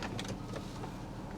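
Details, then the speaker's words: Auction vehicle, discussed as a Mercedes ML, idling. A soft, steady low hum with a few light taps from people nearby. Even idle with no knocks or misses; the engine sounds really good. "Engine sounds good though. Engine sounds really good."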